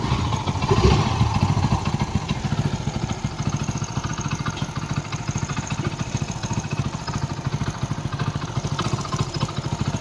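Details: Hero Splendor Plus single-cylinder bike idling after engine repair for excessive engine noise: steady, even putter with regular beat and no knocks or rattles; engine sounds smooth and healthy.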